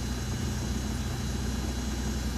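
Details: Daewoo Matiz after fuel pump strainer replacement, pump contacts rechecked: smooth, even low idle hum with no knocks, misses or whine; engine running healthy.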